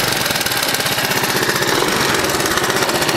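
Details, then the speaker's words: 1982 Honda ATC 200 three-wheeler, stock exhaust, after resealing the front pipe exhaust leak: quiet, healthy single-cylinder idle with quick, even popping pulses and no puffing or hissing; the main leak had made it loud, now normal idle. "That main leak was why it was so loud. Quiet, it sounds like a Prius."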